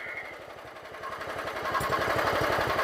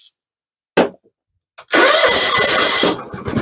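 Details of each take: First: John Deere GT262 lawn tractor after swapping in a carburetor and new parts, still some old fuel: slow, even low idle with no misses or knocks; owner says it sounds pretty good. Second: John Deere GT262 mower that won't run, tested with carburetor cleaner sprayed into the intake. After a few cranking bursts it catches, runs roughly about three seconds and dies, showing spark is fine.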